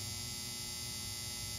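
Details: Volvo Penta SX-A power trim/tilt pump motor, bench-run after smoke cleared; motor not hot, switched between directions. Small motor hums steadily with a thin high hiss, smooth, no grinding or catching; runs cleanly.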